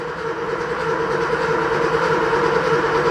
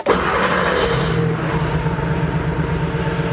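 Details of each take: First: Porsche 3.2 Carrera rebuilt engine before its first start: even, steady starter drone with a fast regular chug and no firing, cranked for 30 seconds until the oil light goes out and oil pressure rises; normal cranking. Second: Porsche 3.2 Carrera flat-six on first start after rebuild and install, cold and about 1.5 quarts low on oil; slightly uneven idle shakes the deck lid, owner suspects one weak cylinder, later settles to a solid idle.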